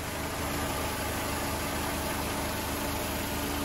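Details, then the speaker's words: Mercedes 190E recommissioned after sitting in a yard, exhaust leak traced to the downpipe, not the manifold, now resealed: smooth even idle with a steady low hum, no ticking or exhaust puffing; sounds healthy and sealed. "The Germans do make a nice engine. So it weren't the manifold, it was the downpipe."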